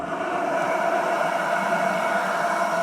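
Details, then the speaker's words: Miniature model steam locomotive with about 25 psi in the boiler, electric fan removed and the engine's own steam blower switched on: steady rushing hiss with a faint tone as it pulls a stronger draft through the firebox, working normally. "Now you can automatically hear the fire being pulled up. The blower now is actually creating a bigger draft in the firebox than the electric fan is."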